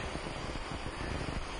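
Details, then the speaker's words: 2004 Mazda Tribute after an overheat with no compression, second cylinder head, engine stopped, leak-down test: a steady airy hiss as full leakage blows past the intake valve, carrying debris out, with a little at the exhaust. "all right see we got full leak down this is coming out of the intake for sure yeah it's actually even blowing up some little cruddies definitely out of the intake"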